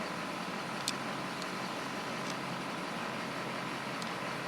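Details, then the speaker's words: 2004 GMC with 6.6L Duramax diesel idling with a steady, even hiss and no surging after one tank treated with diesel fuel conditioner; tach steady, previously a rough idle. "okay I have to go get some fuel cycling a lot smoother already we look at the tack there it's pretty steady wasn't like that before"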